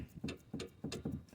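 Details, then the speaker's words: Citroën GS right-side inner steering ball joint rocked by hand: dull clunks about three per second, roughly 2 mm of play, worse than the left side; worn inner ball joint found after inspection, to be replaced. "This was way worse. This is like 2 millimeters."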